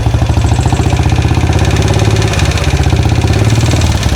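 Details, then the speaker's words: 2013 Royal Enfield Classic 500 single idling after engine rebuild: fast, regular metallic clatter on every beat, a loud top-end tick; owner suspects rockers or pushrods, cause unknown, bike shaking more than before. "Anyone know what that noise is? Is it um rockers, push rods? Something else?"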